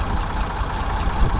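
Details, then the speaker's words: Rebuilt Ford 335 industrial tractor (tagged Ford 3600) diesel on a maintenance run: deep even low rumble, no knocks or misses, steady diesel beat; smooth healthy low idle. "sure you all can hear it it sounds real smooth low idle"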